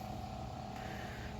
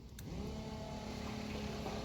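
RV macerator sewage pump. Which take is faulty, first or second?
second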